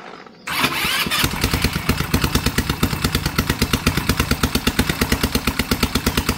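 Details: Dongfang 4-seat go-kart with replaced and tuned carburetor, new chain sprocket, after tightening loose exhaust nuts: quick, evenly spaced exhaust pulses at steady idle, much quieter, no leak or blowing; healthy idle after exhaust fix.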